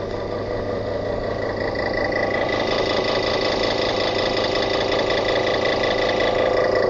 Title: Coca Cola machine sounds like a diesel